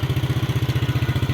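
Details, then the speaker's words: 2009 Yamaha Mio scooter, kick-started: quick steady putter of about fifteen even beats a second, no misses or knocks, no smoke from exhaust; engine idles smoothly, normal idle. "Mesin halus ya. Halus mesinnya seperti ini."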